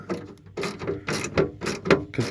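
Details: 1978 Mercury Marquis Brougham 400 parts car that sat for years, rear power window being cycled; rough bursts of gear ratcheting and grinding, catching and slipping: badly worn window regulator, with a mud dauber nest also found.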